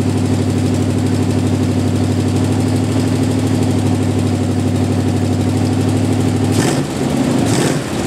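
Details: Jeep M715 army truck, carbureted engine converted from fuel injection, running after years unused: steady, even low rumble at idle with no misses or stumbles; normal idle.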